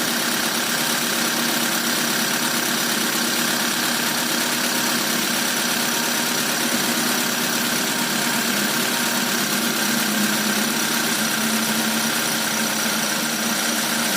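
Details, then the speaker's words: Magma 4G13 SOHC engine (hashtag says 4G15) during overhaul and power upgrade, at idle: loud hissy idle with an uneven ticking rattle, about three per second; mechanic asks whether it is a spring or engine pin, source unconfirmed. "Apa ini? Kenapa bunyi tuh spring, mesin pen?"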